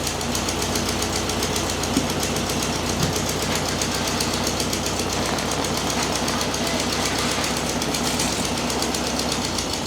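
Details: 1969 VW Beetle revived after 25+ years unrun, distributor rotor now installed: busy, even clatter at steady idle with no misses or stumbles, running like it was fired up yesterday; normal idle.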